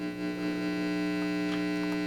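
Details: Fender Custom 68 amp (not full tube) after repair, speaker reconnected, volume turned down: steady low hum with a buzzy edge, no crackle or dropouts; amp powered and working, ordinary mains hum.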